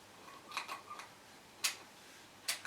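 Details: Circa-2004 Mesa Boogie Triple Rectifier Solo head: a few single crisp relay clicks, one per channel switch, with no rapid chatter; normal relay channel switching.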